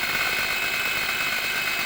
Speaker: lada granta 81000 пробег пошел свист и гул на холодную при отжимании сцепления